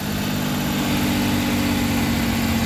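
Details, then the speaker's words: Suzuki DA64/DA63 minivan K6A three-cylinder petrol engine, first start after reassembly for heavy vibration: steady, even idle with a firm low hum, no knocks or misses; now running fine. "Check natin kung Kumusta na yung andar na to yon So far okay na yung andar"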